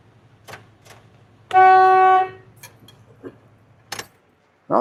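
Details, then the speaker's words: Winnebago, started up with the wheel turned for fuel pump access: one loud, steady half-second horn blast sounds by itself among quiet clicks. Horn sounding unexpectedly; fault suspected in the steering column. "Something's wrong in the column there, man. That's not right. Horn started honking and stuff."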